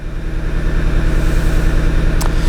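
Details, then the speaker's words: Audi TT 2.0 TFSI, Stage 1 remap, 128,000 km: deep lumpy idle with a steady uneven thump about seven times a second and poor revving; same problem, still running on three cylinders, a misfire. "On s'aperçoit que la voiture tourne toujours sur 3 cylindres d'accélère. On entend. La montée en régime n'est pas terrible."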